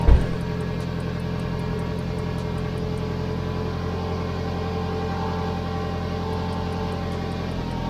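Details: Car exhaust leak at the joint between rear muffler and mid pipe, after fitting a clamp joint with tightening screws and exhaust mounting paste: steady low idle with a faint puffing tick; joint still leaking while warming to cure the paste.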